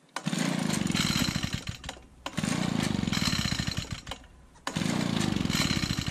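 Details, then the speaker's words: Used push mower, small single-cylinder engine, run with the air filter removed, smelling of gas: fires and runs flat-out in rough bursts, stumbling to a stop whenever the throttle comes back; runs only at full throttle. "Seems like it's only gonna run with full throttle."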